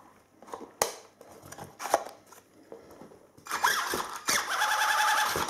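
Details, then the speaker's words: WLtoys 10428A 4x4 RC truck, slipper clutch nut loosened, tested with front and rear wheels held under throttle: handling clicks, then a short high motor whir with a buzzing slip; the clutch slips as it should. "And you can hear it, that was the clutch spinning, so it's doing its job now."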